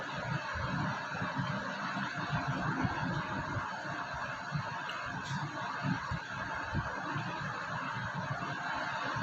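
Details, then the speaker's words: IFB Elena Aqua SX 6 kg 1000 RPM washing machine drum spinning up from low RPM; a loud, rough rumbling roar that grows as spin speed rises, cause not yet identified. Drum noise rising with spin speed. "Machine का drum अभी RPM लो है, अभी RPM धीरे धीरे ऐसे ही बढ़ेंगे। जितना RPM बढ़ते जाएंगे उतनी आवाज़ इसके अंदर बढ़ती जाएगी।"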